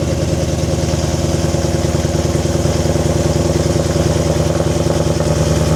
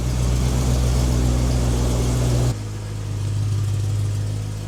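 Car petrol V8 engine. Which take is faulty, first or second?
first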